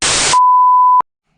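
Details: GoPro 7 during an LS engine swap into a 1995 Camaro: burst of hiss then one steady high-pitched beep of about half a second as the camera powers itself off; battery suspected, swapped afterward.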